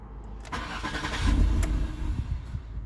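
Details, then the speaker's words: Car with suspected throttle body problem, started after erasing codes: engine catches with a brief low rumble for about a second, then dies; starts but stalls immediately. "But like, see how it just shut off right away?"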